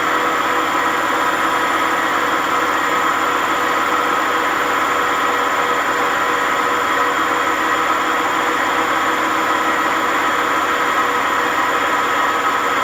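A steady, loud roar with a harsh grinding hiss runs throughout the fast spin, typical of badly worn drum bearings.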